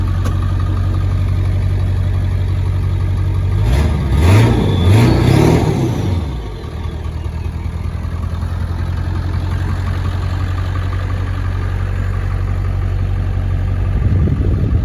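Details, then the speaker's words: 2002 Ford F-250 7.3L Powerstroke turbo diesel, 236,000 miles, 4.5-inch turbo-back exhaust: steady idle clatter, two quick revs rising and falling cleanly, then settling smoothly; healthy engine. "Not too bad for a 16-year-old. I'll rev it up a little bit so you guys can hear how good it sounds."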